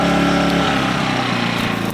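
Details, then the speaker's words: Sportsman GEN2000I 2200W inverter generator, no load: engine drops from warm-up speed to a lower, softer steady hum once economy mode is switched on; smooth, healthy economy idle. "once it warms up it'll quiet down I don't have the economy turned on let me turn the economy on"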